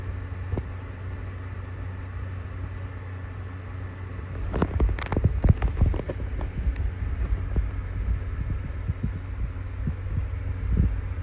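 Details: Computer making a low steady hum with an uneven rhythmic throb and scattered knocks swelling midway, noticed while making music videos; owner wonders if heat inside is the cause, source of pulsing unclear.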